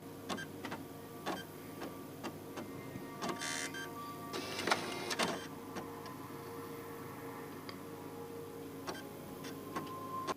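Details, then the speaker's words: PS5 Blu-ray disc drive repeatedly clicks and whirs in brief bursts, searching and never settling on a good-condition Call of Duty disc, ending in unreadable disc error; initially blamed on the laser, but the fault is the drive's motor controller IC. "We do have another disc here, Call of Duty Black Ops, and the disc is in good condition. You can hear it searching."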